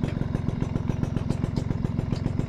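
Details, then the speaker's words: Suzuki RC100 two-stroke motorcycle after cleaning, mic held close to engine and exhaust: crisp, rapid, even popping idle, roughly seventeen beats a second, no misses or knocks; healthy, smooth idle. "guys suaranya masih renyah ini mesin halus saya dekatkan saya dekatkan micnya ini ya"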